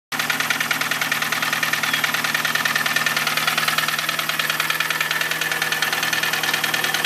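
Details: Cabrio engine with a steady, fairly even tap of about two and a half beats a second over a smooth idle; knocking noise of unknown origin.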